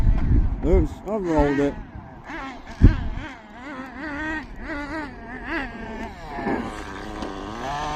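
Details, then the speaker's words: Hobao Pirate nitro RC car, top high-speed needle turned in half a turn (leaner): quick rising-and-falling blips with revs climbing higher than before; idle gap still needs reducing. "All right, listen. Listen to how the revs have increased now."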